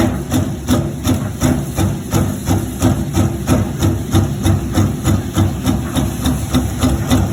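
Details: Maytag washer running: heavy steady thumping about three times a second under low motor hum; abnormal knocking, source not identified.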